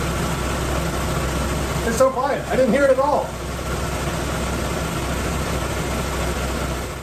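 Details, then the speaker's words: 1997 Chevy S10 four-cylinder with low compression in cylinder 3, after replacing the belt tensioner and aligning the belt on the alternator pulley: engine catches and settles into a steady quiet idle, startup clatter gone. Normal cold-start idle. "so I think that fixed it for 50 bucks I get rid of this weird annoying noise and it's pretty simple to do"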